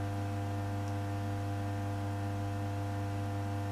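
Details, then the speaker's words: Blackstar HT5R valve guitar amp, powered on during capacitor voltage checks: steady low 50 Hz hum with a buzzy edge, unchanging; mains hum from a failed HT smoothing capacitor. "I hope you can hear that horrible hum in the background. That's the noise this amp is making."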